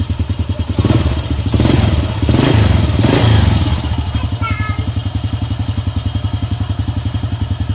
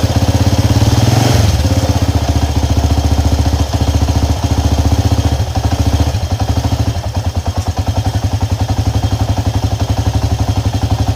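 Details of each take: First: Honda EX5 Dream single-cylinder engine idling after refilling engine oil and tightening the loose screw that caused the loud knocking; even, steady low thump about three to four beats a second, no knock, healthy idle. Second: Honda EX5 Dream engine idling loud and rough with a steady hard knock about two per second; the cause is a loose clutch-side nut/screw.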